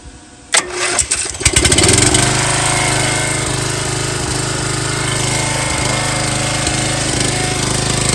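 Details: Long-stored MTD Yard Bug riding mower, restarted without choke since it had run recently: a few pulls, then it catches and settles into a steady, even small-engine run with no misses; runs fine.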